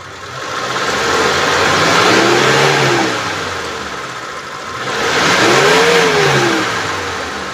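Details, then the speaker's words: 2013 Mitsubishi T120SS pickup, 1.5 L fuel-injected petrol, clean oil: two smooth rev sweeps to 3000–4000 rpm rising and falling evenly with clean pitch, no knocks or stumbling; healthy engine. "Dan kita udah naikkan RPM sampai 3000 sampai 4000 ya, dan suaranya mesinnya tetap masih oke, masih normal."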